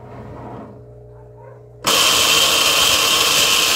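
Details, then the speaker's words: Consul 7.5 kg washing machine switched to spin: quiet hum suddenly becomes loud harsh continuous scraping hiss with thin high tone as drive engages; cause unconfirmed. "tudo que era certo ficou errado gente não dá para aguentar é muito forte barulho é impossível"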